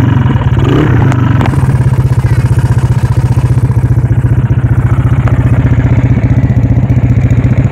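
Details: Old single-cylinder motorcycle with a weak battery that won't electric-start or kick-start, started with a roughly 3 m rope pulled around the fan; catches and settles into a steady, even putter of about four beats a second; normal running.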